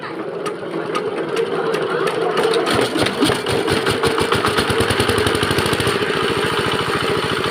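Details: Bharat R175A single-cylinder diesel after a full rebuild following a sudden stop with the flywheel jammed, with fresh oil. It catches and settles into a steady, even chug with crisp regular beats and no knocks; runs healthy.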